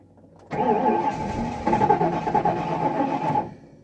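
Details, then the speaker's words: 1994 Ford F-250, 460 big-block fuel-injected, 95,767 miles, fuel pump left on, smoke from under the hood: about three seconds of steady cranking without catching, then cutting out. Hard start; owner suspects a fuel delivery problem. "this is being ridiculous this should have just fired right up oh yeah there's some kind of problem with the fuel delivery system"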